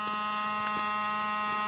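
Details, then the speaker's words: Saturn car: a steady electrical buzz starts as soon as the battery is switched on and continues with the engine running; the component buzzing is unknown. "all right we'll go ahead and turn this battery on if you can hear it buzzing sound somewhere over here"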